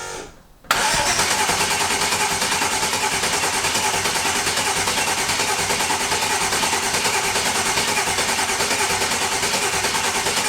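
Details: Rebuilt turbo engine with turbo kit back on, fresh oil and coolant, cranked without ECU to build oil pressure; steady, even cranking at about three beats a second with no stumbles, turns over freely, normal cranking.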